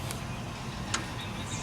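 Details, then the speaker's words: Jeep Wrangler YJ after power steering pump and line replacement, system bled: low steady engine hum at idle, no whine or belt squeak; pump now quiet. "no squeaking from the belt the pump is quiet now"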